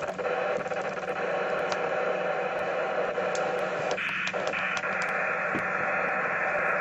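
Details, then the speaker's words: HF receiver at the home station on an Antron antenna, 11 m CB band: steady hiss and static at S5–S6 with faint crackles and no signals. Persists with house power off and the radio on battery; source unknown. "there you go F6 S5 S6 annoys so I really do struggle at my qth"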